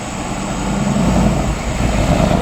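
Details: Shelby Mustang GT500, warmed up, on a pull after replacing the intercooler pump: engine pulls hard with rising roar as revs climb, supercharger whine heard under boost for the first time in two years; normal boost restored.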